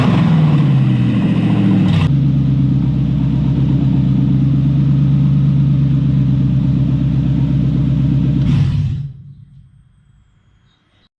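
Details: Toyota 1UZ-FE V8 for a Lamborghini kit car, rewired with Link Monsoon ECU and coil-on-plug, checked after wiring: smooth, even burble at a steady idle with no knocks or misses, then a clean shutdown; running healthy.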